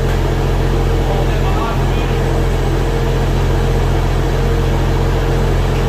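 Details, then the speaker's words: Barra-swapped Toyota JZX100 on standalone Barra harness, first start after the swap, no temperature gauge yet: fired straight up, no fuel or oil leaks; deep, even rumble, steady beat, no misses, knocks or rattles. Normal healthy idle. "this thing just started straight up actually I better check the fuel not leaking nothing on the ground oh this is aw sounds good [Music] too motor sounds mint"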